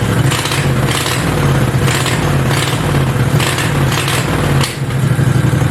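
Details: Homebuilt Goliath mini bike V-twin before its first ride, idling as a deep, steady low thump with no misses or hunting. It had been idling way too high, and the owner planned to lower it with a screw underneath. Clean, healthy normal idle.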